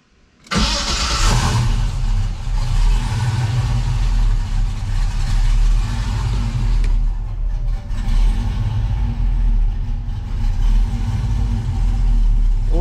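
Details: 1969 Camaro V8, new battery fitted and oil just changed, after AC system replacement: quick crank, catches at once and settles into a steady, even idle with no knocks or misses; oil pressure only about 25–35 at idle. Healthy start.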